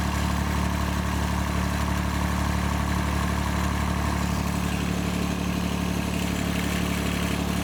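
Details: John Deere 755 compact tractor, Yanmar 3TN diesel, first start after rebuild, shutoff solenoid tied back, loose parts rattling and shield interference: steady, even smooth low rumble, no knocks or stumbles; normal idle.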